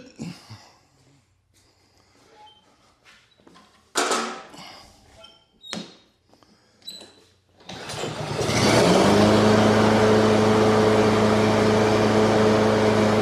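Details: Husqvarna HU 600L mower with a Kohler XT149 that started then died, after flattening a mating surface and fitting a thicker gasket: fires on the first pull and settles into a steady, even idle with no stumble.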